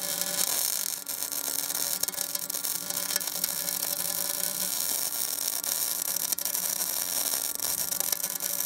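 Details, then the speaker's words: MIG welding with a Binzel-style gun after replacing the liner, same settings, machine and wire: a steady, even frying crackle with no pops or stutters; the arc is stable and the wire feeds smoothly despite poor fit-up. "besides that that was a very big gift and a really poor fit up the machine didn't miss a beat it wasn't a liner issue this time"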